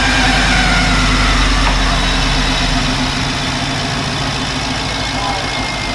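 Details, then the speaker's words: FJ45 rock crawler engine at idle just after fitting a new intake part meant to change the intake suck noise: a steady, even idle with a smooth low rumble and no intake suck standing out. It is way quieter now: normal idle. "let's fire it up see just how wonderful it is see how it changed the suck noise it should change that"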